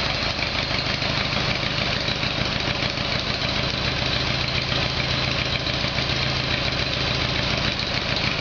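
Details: Harley-Davidson Evolution Sportster after carburettor problem fixed, cold start on choke: steady, even V-twin idle with no misfires, pops or knocks; sounds a lot better, running smoothly. Swapped engine.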